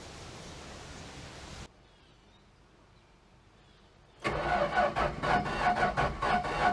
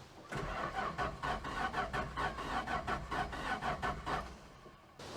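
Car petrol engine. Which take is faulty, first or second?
second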